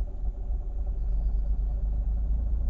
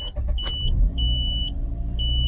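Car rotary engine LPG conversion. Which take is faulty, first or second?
first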